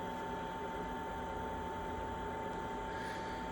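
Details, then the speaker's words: Chinese diesel heater with blue controller after switch-off: steady mid-pitch fan whir, no ticking or flutter, as the chamber gradually cools before the heater shuts itself off; normal cooldown. "But gradually that'll just, over a period of time now, that'll just cool down and then shut itself off."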